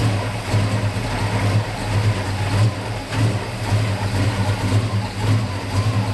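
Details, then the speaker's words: 1969 Dodge Charger V8 that sat 34 years, post cam swap, likely still on break-in oil, timing never dialed in, carburetor acting weird: lumpy, uneven lope at idle with surging swells under blips; runs rough, owner suspects carb and timing. "here it's trying its best something's weird with the carburetor uh I never really dialed in the timing"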